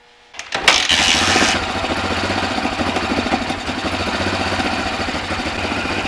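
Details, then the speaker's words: Toyota Land Cruiser FJ40 that sat about 20 years, just after re-cleaning a missed carburetor jet, choke pulled back in: engine catches with a burst, then a ragged, uneven, hissy idle; serious vacuum leak suspected. "oh let me uh put the choke back in oh that might help you we got a serious vacuum leak right now got a little ahead of myself"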